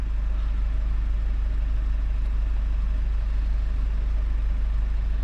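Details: 2017 Mazda 6 2.2 Skyactiv diesel, after turbo divert valve repair, DPF cleaning and successful regen: smooth, even low diesel chatter at a steady pace, no knocks, surges or whistles; healthy idle.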